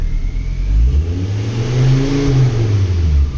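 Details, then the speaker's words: Ford Focus ST after repairing a damaged wiring loom behind a P0238 no-boost fault, with the boost sensor now reading sensibly: the engine revs up and settles smoothly with an even, strong note and no misses; it sounds healthy, with pops and bangs. "you can see that's working all fine there now so I'm pretty happy with that"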